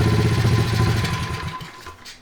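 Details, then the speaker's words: 2003 Honda XR50 pit bike, modified, sat outside long time, won't idle: engine bogs when throttle snaps open off idle and dies within about two seconds; dirty carburetor suspected as cause. "it also is resistant to revving up when I give it gas right off idle I need to really feather it or the engine will die"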